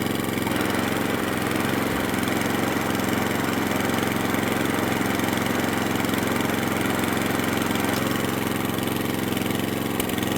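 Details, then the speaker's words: Atco Balmoral cylinder mower, single-cylinder engine unrun for nine years, before carburettor tuning: steady even idle with no misfire or hunting; sounds okay. "it sounds like it's running okay at the moment it's not something running for nine years"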